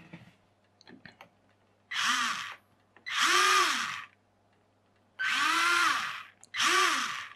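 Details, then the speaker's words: RC rock crawler with a resin-moulded universal joint, reassembled after realigning a slipped plastic shaft bearing: four short motor runs, each whirring up and down smoothly with no grinding or clicking; the drivetrain turns freely. Normal running. "we have movement no missing a screw not unusual all right we're back together"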